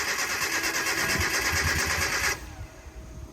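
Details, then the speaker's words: Mazda NA Miata MX-5 being restored: the fuel lines from tank to engine are suspected to be reversed, so the engine has never received fuel. Steady rhythmic cranking at about three turns a second for two seconds with no firing; it cranks but won't start. "t learned the uh fuel lines going from the tank to the motor might be reversed so that you know obviously engine's not getting any fuel has it ever gotten fuel it's never gotten fuel before so this could be the day"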